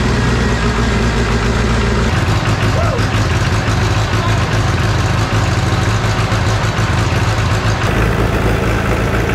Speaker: Blow by remember how that was smoking like crazy before sounds good